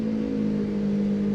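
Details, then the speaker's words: Car running on a lift: steady low howl with a firm hum underneath from worn front wheel bearings. Left front suspected first; both left and right front bearings were found bad. Wheel bearing howl. "i don't know if you could hear it but it sounds like the left front just want to rule out the right front"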